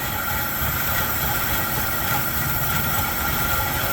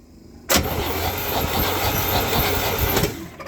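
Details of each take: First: Chevy C10 pickup, 350 V8, sat in barn 30 years, cold at 29°F, running on primed fuel with empty tank: steady even V8 beat with hissy background, no knocks or stumbles; runs properly. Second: 1972 Chevy C10 with a 350 V8, sat in a barn 30 years, cold at 29°F, cranked on a makeshift double-ground battery hookup: starter churns evenly about 2.5 seconds and it never catches; no spark.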